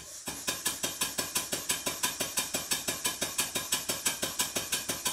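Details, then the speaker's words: Stuart 5A model steam engine running on compressed air: sharp, even clunks about three per second on every stroke; runs differently in forward and reverse, owner suspects the slide valve needs a tiny adjustment though valve gear matches the drawing. "I really do think that the slide valve needs a very very tiny adjustment because it runs differently in forward and reverse"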